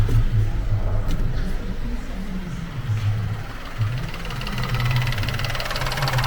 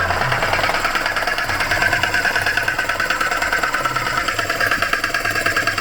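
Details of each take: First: Vauxhall Crossland X petrol engine idling quietly and evenly after a new air conditioning pump is confirmed as needed, with the alternator belt removed; low steady hum, no whine or rattle from the belt drive. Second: Vauxhall Crossland X idling with a rapid, dry sewing-machine clatter; the air conditioning compressor bearings or its clutch are suspected to have failed. The compressor sounds as if it has no oil in it.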